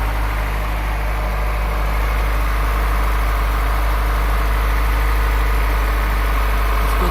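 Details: Honda Prelude first start in six months after major overhaul (distributor, injector seals, radiator, new exhaust), cold, timing possibly off: steady low idle, slightly lumpy while cold but smooth without knocks or misses; normal cold idle.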